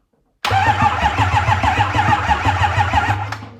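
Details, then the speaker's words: Rebuilt 6.0 Powerstroke cranked without firing to build base oil pressure, charge pipes off, on weak temporary batteries: cranking about three beats a second with a low uneven thump in the rhythm, the thump they aim to eliminate. "You can take this, plug it here on this battery, or here if you have regular battery, and you'll hear a thump. That thump is what we're trying to get rid of."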